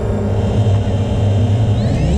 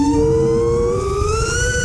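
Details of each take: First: FPV quad after adding a static notch filter (centre 465 Hz, 445 Hz cutoff) in Betaflight: motor whine climbs and drops cleanly with throttle, no howl or ringing above mid throttle; resonance fixed. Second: FPV quad without gyro low-pass filter and with high PIDs, a little over mid throttle in a turn: clean singing tone around 460 Hz like a tuning fork; frame resonance later fixed with static notch at 465 Hz.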